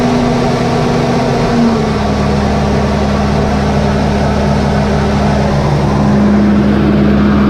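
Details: John Deere 8320T tractor, 8.1 L diesel, idling with the valve cover off after the overhead valve adjustment: smooth, even idle with a constant low hum and no top-end ticking or clatter; the engine sounds healthy.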